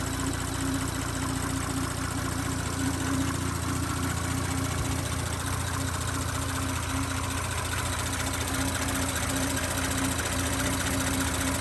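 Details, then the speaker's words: 2018 Audi B9 S5, EA839 3.0T, nearly 58,000 km, just after oil change to Castrol Edge 5W-30, engine bay: steady normal idle with light quick ticking from high-pressure fuel pump and injectors; no other tapping, no rocker failure or piston slap. "Now, the noisiest thing in this engine bay, as everyone knows, it's a high pressure fuel pump. Little bit of injector noise as well."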